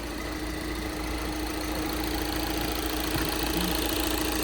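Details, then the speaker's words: 2012 VW Jetta TDI diesel, started right up on a jump box, with a steady idle and an even, light clatter of roughly two ticks a second, nothing uneven; a normal diesel idle. "It is the diesel as you can hear."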